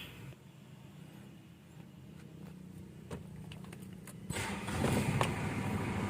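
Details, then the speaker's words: 2013 Mitsubishi Strada Triton GLX 2.8 diesel at 133,000 km, heard from inside the cab: quick catch, then a steady, even diesel clatter; clean, healthy start. "Hai Na untuk hidupnya enak sekali temen-temen ya"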